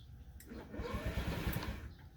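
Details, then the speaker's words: 2014 Honda Ruckus 49/50cc scooter left outside uncovered in the rain: electric starter churns the engine over for about 1.5 seconds but it never catches; owner says it shouldn't make that noise. Cranks but won't start. "so as you can hear, it's not starting. It's not starting."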